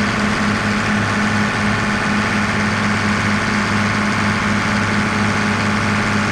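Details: Diesel tractor after resealing a leaking rubber O-ring bushing on a tube, checked for leaks: a steady idle with an even low throb of about two beats a second, no ticking or hissing. It sounds healthy.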